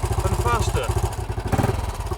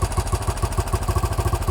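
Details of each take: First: 1968 BSA Starfire single after carburettor idle and mixture screw adjustment: blipped, then crisp, even thumping about nine beats a second with no misses or hunting; sounds much better, running cleanly. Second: 1968 BSA Starfire single with starting trouble: engine won't hold idle on its own, throttle held by hand to stop stalling while the carburettor idle screw is turned up; even thumping about eight times a second just off idle.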